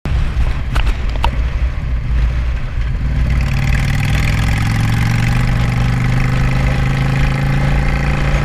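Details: Engine idling after a vacuum leak was fixed: low, steady idle settles in after a few seconds of rough fluttering, then runs even and smooth with no hiss or hunting; normal idle.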